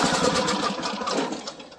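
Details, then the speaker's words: Briggs & Stratton 17.5 hp (model 31R977) on a residential mower: fast whirring crank that fades as it spins down, only turning over once compression is relieved by hand; broken compression release piece on the camshaft exhaust lobe. "ssue and what has happened on this motor is that that little thing has broken and so it won't let me uh normally release the um compression"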